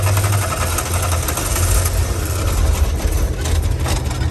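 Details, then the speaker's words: Air-cooled VW camper van, revived after 10+ years parked in a field, idling rough with exhaust detached; loud uneven thrum, barking ragged exhaust; running rich, dumping fuel; detached exhaust part rattling. "it's a richness issue it's just dumping fuel"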